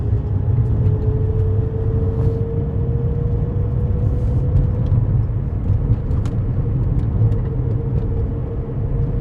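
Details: Car cruising after its bad wheel bearing was fixed: steady low road rumble with no rhythmic whomping or growl from the wheels; normal road noise, no wheel bearing hum.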